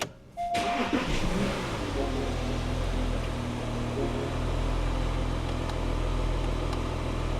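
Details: 2015 Porsche Cayenne Diesel started after DIY battery replacement. Starter catches within a second, then a steady, even idle with a low regular rumble and no misses; normal start and idle.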